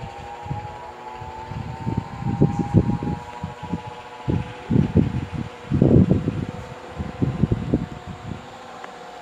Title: fan in the kitchen is making noise